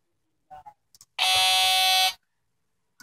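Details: Alienware M14xR2 laptop with failing onboard sound on the motherboard; a system chime plays as about a second of harsh, flat distorted buzzing. Driver reinstalls did not help; a new motherboard fixed it.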